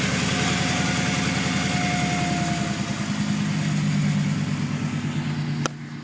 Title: Strange whistle noise cannot identify..has new pulleys alternator and idler pulley/tensioner